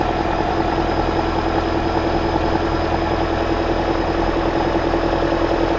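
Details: 2009 Toyota Corolla after alternator replacement and belt tensioning: smooth even idle, steady low hum, no squeal or grinding from the engine front; normal idle, earlier noise gone.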